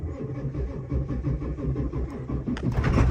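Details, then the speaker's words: 1997 Ford F350 7.3 Powerstroke diesel, first start after long storage on a battery tender; cold engine with deep uneven stumbling clatter about three pulses a second, running rough; earlier misfire at idle and stalling at stops. "She's cold. It's been a while, so it's gonna be running a little rough."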